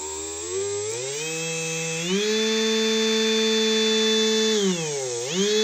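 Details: Big brushless DC motor with rear cooling fan, run on a 30 A drone ESC: smooth high-frequency whine climbs to a steady high pitch, holds, dips once and recovers cleanly, with no rattles or roughness; a healthy motor.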